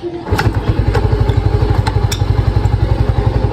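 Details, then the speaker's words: Yamaha Mio i 125 after top overhaul for loose compression: one kick and it fires straight away, settling into a steady, even thumping idle; compression now good. "Pakita ko lang din sa inyo na maganda na ang compression nito at one click kapag sinipaan natin mga boss."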